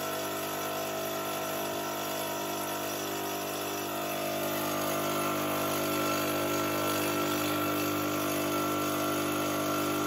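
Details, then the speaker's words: Fortress 5 gallon air compressor, about a year old: steady pump chug about three beats a second never cuts out, should stop near 225 psi but climbs to about 275 until relief valve blows; owner suspects failed pressure switch. "okay so as you heard it should have shut off around 225 psi but it climbed all the way up to probably almost 275 before it finally blew that pressure relief valve"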